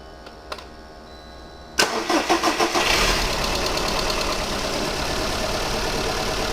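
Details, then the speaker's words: VW Polo 1.4 16-valve booked in for an ECU swap, at startup: cranks, catches, then an uneven stumbling idle with drastic engine shake; plugs and mechanical checks already done, gas analyser shows high hydrocarbons. "there hopefully you can pick up the shutter on the engine it's uh it's vibrating quite drastically"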